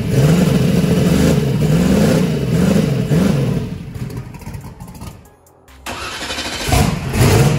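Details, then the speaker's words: Chris's truck with belt-driven fuel pump, converted from gasoline to methanol: cranks, catches, revs in rising sweeps, drops back and revs again; idled at about 4.7 air/fuel ratio, may lean out; starts and runs cleanly. "that was idling about 4.7 air/fuel ratios it's pretty good we might be able to lean it out"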